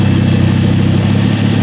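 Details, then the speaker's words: Ford Focus ST/XR5 Turbo, loud deep chuffing roar from the front of the car under a quick blip instead of from the tailpipe; exhaust leaking at the turbo outlet, where the downpipe was left unbolted. "yeah so I did have a look at it yesterday so the exhaust actually is coming off on the turbo so I'm going have to put a bolt on"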